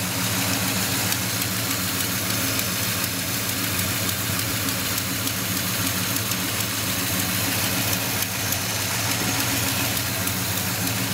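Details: 1972 Monte Carlo V8 at idle: even idle with a quick puffing tick about three to four times a second; suspected exhaust leak, unconfirmed.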